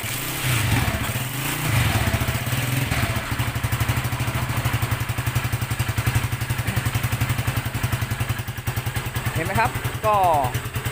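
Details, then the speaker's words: Honda JX110 single-cylinder motorcycle converted to CDI, with relocated ignition pickup, retimed ignition and new source and ignition coils: catches first kick and settles into a steady, even idle of quick regular pulses; ignition healthy, magneto flywheel cracked. "ทีเดียวติดเลยนะครับแสดงว่าชุดไฟที่sc2มาขึ้นนี้นะครับไม่มีปัญหาอะไรนะครับน่าจะเป็นที่ตัวอื่นนะครับ"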